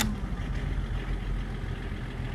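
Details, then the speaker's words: BMW 524td M21D24 diesel that had loud clickety-clack valvetrain noise, after full valve adjustment: steady, low idle with even rumble, no tapping or knocking on top; runs really smooth. "Oh sounds really good now with completely readjusted vows oh yeah it runs really really smooth like no big rolls on itself"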